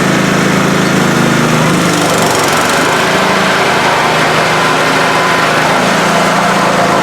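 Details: Older Scotts 1642/1742 mower after spindle, pulley and belt repair on the noisy deck: steady, even engine drone with blades engaged, no knocks or squeals; now sounds normal.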